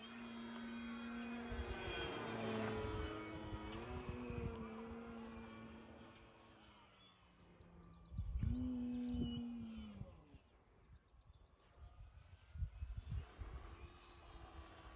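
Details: FMS Pitts RC plane in relaxed flight after the owner fixed loose parts and balanced the prop and spinner; 48 degrees, 6 mph wind. Clean motor whine rising and falling with throttle, no buzz or rattle; the earlier noise is gone.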